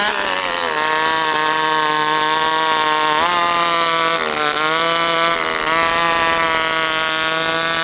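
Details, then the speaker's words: Stihl 064 chainsaw returning to idle: high buzzing note sags and warbles, coming down slowly; owner suspects slightly lean, though it sometimes stalls as if too rich; unsteady hunting idle, cause unconfirmed. "Okay, so right there, without going too far into it, you can hear the saw kind of warble as it comes down to idle. Okay, so it's coming down to idle a little slow. Tells me it's a little lean, but then other times it stalls out because it seems like it's too rich."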